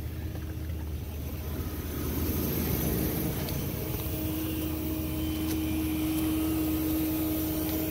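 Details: Homemade 12V pump powered by jumper cables emptying RV camper waste water into a portable tank, with pressure relief valve; steady low motor drone with even hum that settles, running smoothly without strain. Pump shuts off on its own if overheating.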